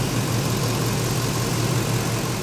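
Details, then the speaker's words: LS-swapped squarebody service truck, new exhaust, fuel line drained for a check-valve install: after an unexplained backfire at startup, it settles into a steady, deep V8 idle with an even rumble and no misses or knocks. Running good. "not exactly sure why I wanted to backfire when I started it up just now running good though"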